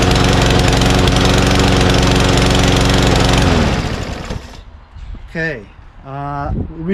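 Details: Mower after hard starting: it chugs steadily for about three seconds, then dies away. Owner suspects a sticking carburetor float or debris in the bowl blocking fuel pickup.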